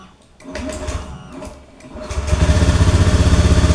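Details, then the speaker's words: Honda Beat FI automatic scooter with hard starting and stalling, after reconnecting a loose connection: strong, regular low whirring crank keeping an even beat, then it starts and holds idle without stalling; normal starter cranking. "Oke di sini menyala Pak tuh tidak mati stasioner langsam"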